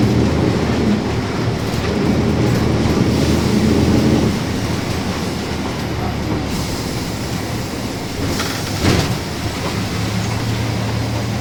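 Over road and cabin rattle there's a steady low droning hum that holds then drops as the bus rolls; differential gears whining loudly.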